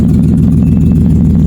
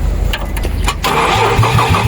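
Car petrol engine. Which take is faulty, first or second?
second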